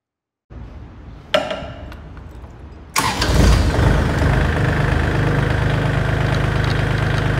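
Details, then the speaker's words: Kubota L3408 34 hp lightweight diesel tractor: short crank, then catches and settles into a steady, smooth, soft idle with no knocks or misses; normal start and idle. "तर मित्रांनो तुम्हाला आता firing येत असेल ऐकायला, तुम्ही बघू शकता किती स्मूथ आणि सॉफ्ट आवाज आहे."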